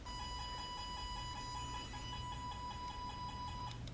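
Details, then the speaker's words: IDEAL Tone 62-140 analog phone tone generator on installed front right speaker wire, no receiver: steady high beeping tone pulsing several times a second through the speaker, confirming that wire reaches the speaker. "now if you already look up the speaker up there the speaker will actually make some noise if you just use this part here"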